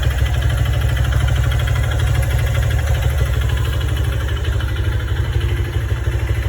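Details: 150cc motorcycle engine never rebuilt since purchase, making a strange noise especially when letting off the throttle: steady low idle with a loose, somewhat irregular knock about three times a second; source still unknown.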